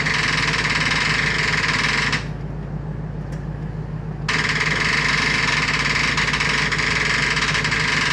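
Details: Freshly rebuilt engine: fast, steady starter cranking at about three beats a second with no firing, a crank-no-start. Smoke was then seen coming from the starter.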